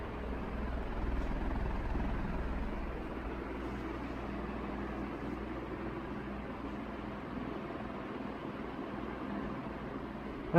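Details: 1981 Evergo 36-inch industrial ceiling fan, model 3E-6, cast-iron motor, aluminium blades, at about half speed on the variable control: steady airy rush with a soft helicopter-like chopping, moving lots of air smoothly; normal running.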